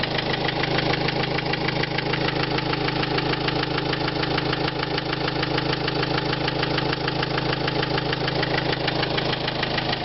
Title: СТУК двигателя на Renault Trafic 2005 1.9 DCI